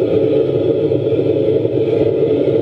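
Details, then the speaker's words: Homemade waste-oil shed heater made from a drum, just lit: a steady roaring rumble with a slight uneven surge. The burner is pulsing a little because the combustion air is set low, so the filmer can get close. "okay so as you can see we're all fired up and we're ready to go it is pulsing a little bit because I've got the air pretty low so I can get near it to film this"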